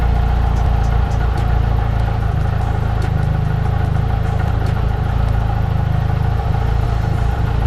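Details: Nissan S13 200SX CA18DET four-cylinder after cam timing and CAS reset: catches and runs with steady even idle and light top-end clatter, no misfire; healthy after repair.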